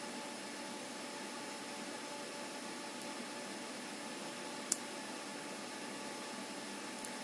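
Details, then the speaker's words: PC with Asus Prime X370 Pro during the 0612 BIOS update, GT610 graphics card: steady even whoosh from the Fantex CPU cooler's two Thermalright fans, loud but healthy, no rattle. "Got the Fantex cooler on with 2 Thermalright fans, which is what you can hear making all the noise."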